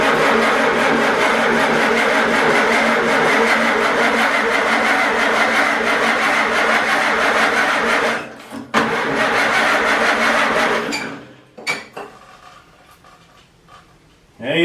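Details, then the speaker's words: Farmall Super A tractor after a tune-up with new points, condenser, plugs, wires and cap; carburetor leaking, ether tried: long steady cranking at about three compressions a second, never catching, then stops; owner suspects no spark, possibly the coil. "all right now we need to take out one of these plugs just to see if we're getting a spark up there it could be our coil"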